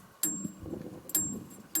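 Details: Harbor Freight sawmill's brand-new band saw blade, torn up after hitting a thick piece of metal in a log: three sharp metallic clicks with a bright ring, about a second apart, as a thumb snags a jagged-lipped damaged tooth.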